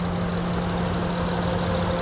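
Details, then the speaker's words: 2013 Honda Odyssey Touring, hood open showing the engine: steady, even idle with a low hum and faint whine, no stumble; sounds good despite check engine lights being on. "It sounds good. I do know we have some check engine lights, which we'll take a look at, but it sounds good."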